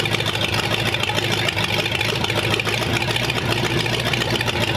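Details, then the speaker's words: Freshly compression-tested engine idling with water in it for 10 minutes, holding 35 lb oil pressure, reaching 180° with electric radiator fan on: steady, even idle, smooth low beat, no misses, knocks or ticks; healthy engine. "calling this one early idled for 10 minutes didn't lose a pound of oil pressure didn't didn't skip a beat ran absolutely beautiful"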